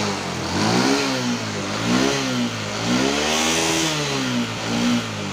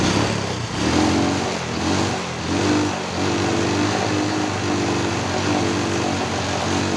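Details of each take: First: Honda Wave 125S after closing the choke that had been left open: clean repeated blips climb smoothly to fuller revs than before and fall back to a steady idle with no stumble. Some smoke is visible, but it still idles fine. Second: Honda Wave 125S that won't rev, after timing chain tensioner replacement and valve adjustment: repeated blips climb but flatten early and fall back. The cause was found at the carburetor: the choke was stuck open and the choke opener is cracked.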